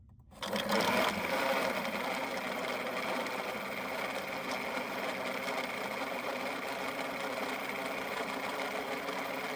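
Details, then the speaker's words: Off-grid solar three-phase pool pump, installed March 2021, failed February 2024 after about 2 years 10 months: steady motor hum with a rough chattering rasp; likely the front bearing closest to the impeller froze up. "so what happened I'm pretty sure is the bearing that's closest to the actual pump impeller froze up so I got a couple Clips I'll show you what the noise it was making and things like that"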